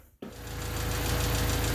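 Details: Honda D16Y8 with a cracked header: rapid, even top-end chatter at idle that speeds up with throttle, located by stethoscope at the head near cylinders 1 and 2; owner suspects valves rather than rod knock; valvetrain ticking.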